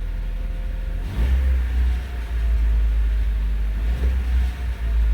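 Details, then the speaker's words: Parked car at idle, two light throttle blips: low rumble with a rattle rising from the engine bay; car stationary so not a wheel bearing, possibly power steering or water pump, cause not confirmed. "so this is a car at idle I can already hear the rattle"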